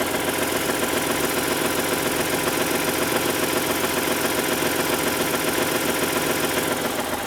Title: Rd 8 knocking noise